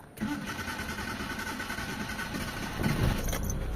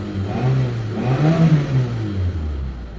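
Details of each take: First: Mitsubishi Lancer automatic, after repair of a misfire blamed on a valve cover leak (new gasket, spark plugs, high-tension wires): starter churns a few seconds before the engine catches roughly. Hard start because the new fuel filter left the fuel system unprimed. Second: Mitsubishi Lancer automatic, just restarted after a spark plug, high-tension wire and fuel filter replacement to cure a misfire, before warm-up: revs pick up smoothly and drop back with no stumble or popping. Normal rev.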